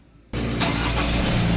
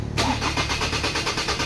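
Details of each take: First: 2003 Ford Ranger automatic, hot restart after 45 minutes running, which previously started very hard when hot: engine fires almost instantly and runs steadily with no long cranking; fixed by cleaning the camshaft sensor; normal hot start. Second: 2003 Ford Ranger automatic, hot engine: the starter churns steadily at about three pulses a second without catching. This is a long-crank hard start when warm, traced to a faulty camshaft position sensor.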